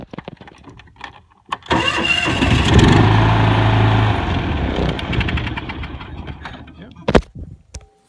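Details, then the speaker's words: John Deere LX172 lawn tractor cold start with choke plate held closed by hand (choke linkage not closing fully): short cranking burst, then engine catches and runs on a steady throb without ether. Normal cold start with choke. "okay it started so the next question is can I unhook my rig on the ignition module here"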